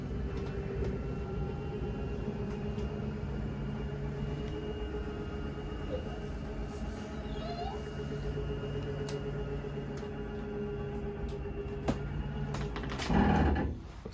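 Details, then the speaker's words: 2022 Jayco Bungalow 40RLTS bedroom slide-out extending, transit bar removed: steady low motor drone while the room travels, then a harsh grinding burst at full extension; normal end-of-travel stop. "Once again, once you hear the gear grinding noise, you know you're fully extended."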